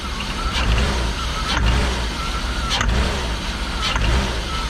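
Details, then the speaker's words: BMW M50 donor engine with a rough idle and a suspected big vacuum leak. Four quick throttle blips each bring a sharp rattling clatter that happens only on quick acceleration; the owner fears rod knock but suspects something minor. "So that has me pretty worried, because that sounds, I don't know what makes that sound in an engine that's not rod knock, but it only happens when you quickly accelerate"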